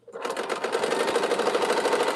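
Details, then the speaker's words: Fast even clatter of needle strokes, about a dozen a second, while quilting during a live sew session; sewer blames the old clapping needle for the noisy stitching. "And if I wasn't on here with this old clapping needle, I probably would be sewing more faster."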